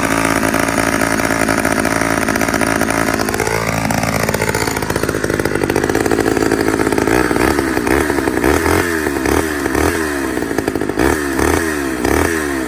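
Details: 1985 Homelite Super XL two-stroke chainsaw, cold start after not running all year, going to half choke: high buzzy howl swinging up and back, settling into an even pulsing run; normal running after cold start.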